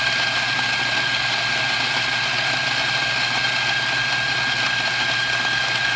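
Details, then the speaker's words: Macap M4 coffee grinder after repair (was not grinding because clogged with dirt; cleaned inside and out, broken worm knobs replaced): steady, even high-pitched whir, grinding normally. "all right there you have make app Grindr working once again"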